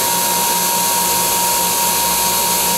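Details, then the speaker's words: Dental wet ring vacuum pump (DentalEZ Dual MC201) run without seal water, clear tubing on exhaust: harsh, hissy roar with a fixed high whistle and faint pulsing; runs very hot, noticeable drop in inches of mercury. "the pump will have a high fixed line and will run very hot without water hear the difference in the sound as well as a noticeable drop in your inches of mercury"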